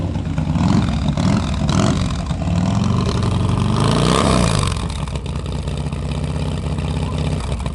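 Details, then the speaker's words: 2007 Harley-Davidson Screamin' Eagle CVO Dyna FXDSE 110 ci just rebuilt with high-compression pistons and new cams, untuned: loud lumpy V-twin rises through a rev and settles to steady rumble; pulls cleanly, sounds healthy. "God, that sounds good. I hate the sound of the tuning too."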